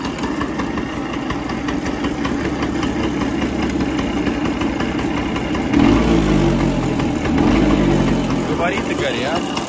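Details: Early-1970s Elektron two-stroke scooter, first start after over 40 years stored, 642 km on it, spark checked, syringe of petrol added: uneven popping settles into a steady idle with a couple of blips around six seconds; runs fine.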